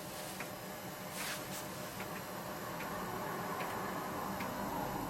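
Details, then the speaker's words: PC floppy drive writing an Atari ST 720k double-density disk with Omniflop, about two minutes per disk; quiet light clicking about four per second over faint hiss; normal head stepping. "So click OK. I think you can probably hear the disk clicking away. I'll let this actually run so you can see how long it takes to actually create one of these disks."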